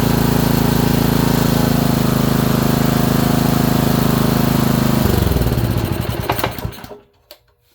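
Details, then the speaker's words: Honda small single-cylinder engine, probably a water pump, after ignition coil install; hard fairly regular knock about four beats per second, then shut off and coasts down. Owner suspects bottom end. "So it'll shut down, but that bottom end, that knock, doesn't sound good."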